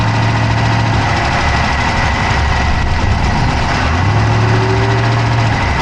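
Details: Dodge Charger Hemi V8 at idle, recorded inside the passenger-side engine bay: a loud, steady idle with a fast, even tick on top of the engine note; a ticking whose cause is not pinned down.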